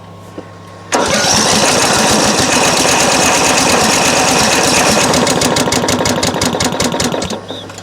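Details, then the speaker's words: Craftsman LT1000 mower, crank no start: engine catches then runs a few seconds with a ragged, uneven beat before dying; fuel solenoid on carburetor not clicking despite power, starving it so it runs lean. "and i don't want to keep running it lean because what's happening right now is while i'm running it it's not getting enough fuel so you know it's not gonna it's not gonna stay running"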